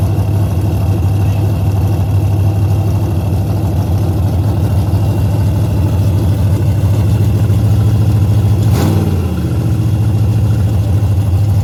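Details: Henry J drag car parked since 1977, first start after a battery charge: loud, deep, steady open-pipe rumble with an even low beat and no knocks or misses; running healthily.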